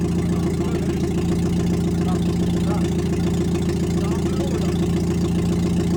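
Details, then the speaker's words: Nissan Micra K11 swapped with an SR20DE four-cylinder, running after ignition timing corrected: steady even idle with a smooth regular beat, no misses or knocks; quieter than expected, four-cylinder running cleanly, normal idle. "Putain! Ah, le bruit! Ça va, je m'attendais à plus fort que ça."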